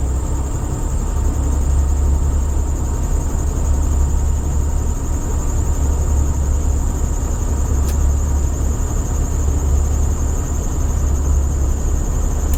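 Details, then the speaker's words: Vintage Allegro RV winter start-up with onboard generator started while engine runs: thin steady high-pitched squeal over even engine drone, engine dragged down by alternator; owner says it always squeals; belt squeal suspected. "I'm gonna try to start up its generator are not going to tell you from my experience it's gonna start squealing like mad"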